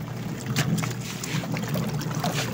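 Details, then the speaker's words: Micromatic single-tub washing machine, tested after gearbox replacement for a noisy-spin complaint: soft even water sloshing and swishing, strong agitation, no knocking or grinding, no leaks underneath; washer running normally. "Ayan magaling ang chamba mo malakas e maganda namang umikot"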